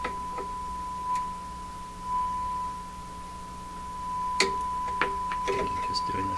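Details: 1940s Canadian Red Cross tube radio on about 100 V during a rough IF alignment near 455 kHz, with old capacitors still in it: a clean steady test tone holds strong under bench clatter, so the IF stages now pass signal well.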